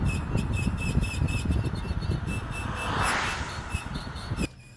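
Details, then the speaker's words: Warmed-up car driving: a high rhythmic squeaking, scraping chirp pulsing with wheel rotation, from the front, probably the left; it stops when braking and returns on release; glazed front brake pads rubbing the rotor. "that noise that i was hearing with the brakes is kind of a squeaking scraping noise and to me that sounds just like the the low brake pad indicator on your brake pads when they wear out"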